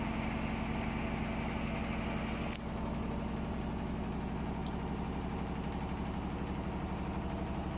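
A rhythmic heavy thumping, about three per second, rides over the motor hum during spin; the load is badly out of balance.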